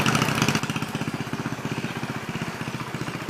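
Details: 1963 Cub Cadet garden tractor, first drive after clutch rebuild with rusty clutch and a bearing that looked to have run locked up: even, steady single-cylinder putter, about four beats a second, no misses or knocks; running healthy.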